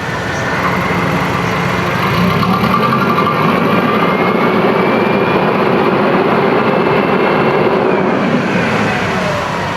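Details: Komatsu forklift with newly replaced alternator, started by jump starter after battery died, multimeter shows charging: steady, even idle with smooth unchanging beat, no knocks or squeals; engine healthy, battery suspected damaged from running with failed alternator.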